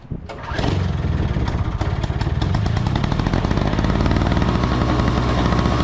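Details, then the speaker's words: Two-stroke snow blower on 50:1 mix with fresh fuel catches after a cough and runs lumpy on starting fluid, then dies. Spark and ignition are fine, so fuel starvation. "runs fine for a little bit and then it dies so what that means is that the spark plug is working the ignition is working but for some reason this snow blower is not getting enough fuel"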